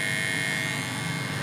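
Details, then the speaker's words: Brighter 4-in-1 home theatre with a humming fault: a steady buzzing hum with a clear high tone in the satellite speakers, still present with one subwoofer wire disconnected. The source is not yet pinned down. "धमक के वजह से आपका satellite speaker में भी यह गड़गड़ाहट की आवाज या सनसनाहट की आवाज आएगी"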